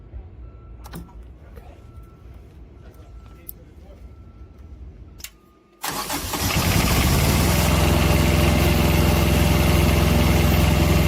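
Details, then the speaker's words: Carrier ComfortPro APU diesel on a Peterbilt, after fixing repeated alternator-belt breakage (pulley sanded and realigned): cranks, catches at once and settles into a steady, even idle; normal start and idle. "So, everything is working. We're going to put everything back together."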